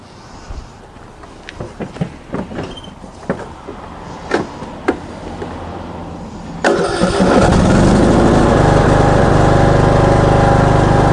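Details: Craftsman ride-on mower with 21 hp Briggs & Stratton engine, previously smoking heavily, after head gasket and spark plug replacement and carbon cleaning: scattered knocks, then a firm, even idle with no misses; normal idle.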